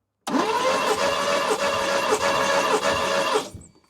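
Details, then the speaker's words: 1972 Mercedes 280SE 4.5 V8 (W108, D-Jetronic) during a quick hand-held compression test over five cranks: steady cranking with even, regular compression pulses. This cylinder reads 150, where at least 120 is wanted. "Okay, that one hit 150. Now let's try one on the other side."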